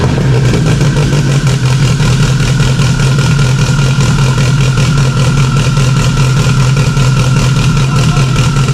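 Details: Freshly installed stock OEM Subaru EJ257 longblock in an 1100+whp STI, first start with a fuel leak under the intake manifold. It holds a deep, even idle rumble with a steady beat and no knocks or misses; normal healthy idle.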